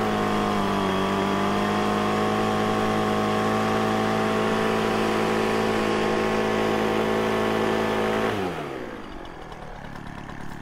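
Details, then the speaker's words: Poulan Pro 25cc leaf blower, cold shop about 37°F, after carburetor and fuel system repair for start-then-stall: steady high wail at wide-open throttle with slight burble, falling away on release; high-speed mixture slightly rich. "i just did like an eighth of a turn on the high side just to lean it a hair"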